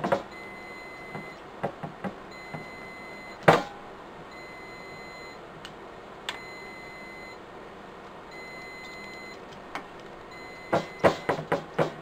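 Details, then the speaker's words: Riello DVD 2200 2U UPS sounds a steady, repeating high-pitched alarm beep, going for about two weeks, because its batteries need replacing. "as you can hear that beeping has been driving it mad now for about two weeks"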